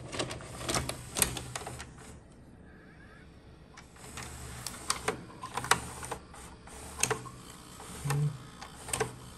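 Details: Funai ZV427FX4A DVD/VHS combo recorder after repair of VHS not working: clean loading-mechanism whirring and clicking, crisp evenly timed clunks as tape ejects and reloads; fully working.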